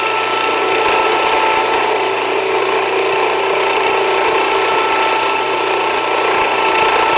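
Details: Jiffy Precision Mill, a simple US-made electric steel burr grain grinder, grinding grain fed slower with the setting backed off slightly; steady whirring grind with a fine gritty rasp at an even level. Normal grinding, and the mill is only warm afterward.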